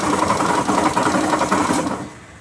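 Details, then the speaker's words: Hero Destiny 125 scooter at idle after half-engine work (previously wouldn't start): fast, loud, steady metallic rattle and clatter until shut-off from a failed crankshaft main bearing, to be fixed by full engine teardown and bearing replacement. "अब start हो रहा है पर इसका जो है bearing आवाज कर रहा है मेन बेरिंग देखिए मैं आवाज भी सुना रहा हूं कि मेन बेरिंग का आवाज किस तरह होता है"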